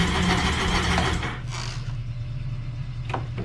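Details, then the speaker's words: 2021 Sea-Doo RXP-X possibly sunk, after removing a seized supercharger that had locked the crank: brisk, even cranking for about a second with a steady beat, then a low hum; normal cranking speed. "now when I got this ski crank for the first time obviously it was slow crank um with or without plugs that sounded healthy that I'm happy with now"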